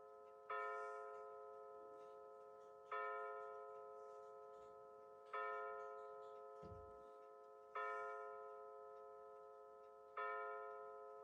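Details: Bulova C3542 battery wall chiming clock with new chime batteries, pendulum out, set to 9:19 PM to strike 9 times: clean bell-like strikes about every two and a half seconds, evenly spaced; the hour chime is working properly.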